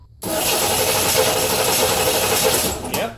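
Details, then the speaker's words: 1987 Chevrolet Corvette C4 after sitting 25 years: steady starter cranking for about three seconds that never fires; no fuel-rail pressure, but spark present, so a failed fuel pump. "Everything is pointing towards a bad fuel pump but I still wanna check for spark."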